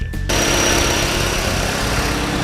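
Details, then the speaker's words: 2007 Hyundai Elantra whose blown head gasket led to an engine rebuild with new parts, idling after starting; a steady, even idle with no ticking or puffing, smoke coming only out of the exhaust while it burns off. "much better and so far all of the smoke is just coming out of the exhaust so that's good let it burn everything out and see what happens"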